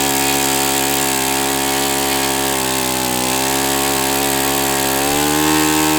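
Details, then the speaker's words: O.S. FS-91S II four-stroke glow engine on test stand, first run: strong, steady high-pitched buzz at even revs with a slight lift near the end. Owner says it feels freer once at operating temperature; normal running. "This is definitely a diamond. And the best part about it is is it getting up to operating temperature helped it a lot because now it feels more free."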